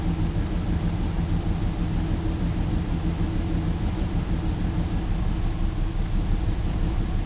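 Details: BMW 325 M54 cold start each morning: uneven, stumbling idle with irregular low thumps, misfire codes on cylinders 3, 5, sometimes 4; crankcase valve, plugs, coils, fuel filter replaced and injectors cleaned; stops once warm; cold-start misfire, rough idle.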